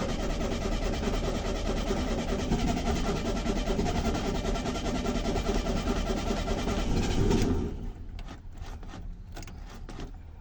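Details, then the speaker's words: VW Beetle (vocho), cold and unstarted for two days after a transmission oil top-up; its carburetor is dirty and the jets are likely clogged. The starter churns steadily about seven seconds without catching while the evaporated-dry carburetor refills with fuel. "Y el carburador pues primero se tiene que llenar de petróleo, porque pues se evapora. Entonces va a dar marcha en lo que carga, y ya que suba la gasolina pues va a ser por encender."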